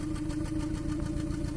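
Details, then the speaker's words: 2014 Kia Cerato at idle with injector 3 cut by actuation test while cylinder 1 already misfires: rough uneven idle with small stumbles, two cylinders out (3 and 1). "هذا تفتف الثالث. طبعا يمكن نسمعه الأول، شغلوا الثالث نسمعه، الثالث والأول تفتفتين، يعني السلندر الثالث والأول."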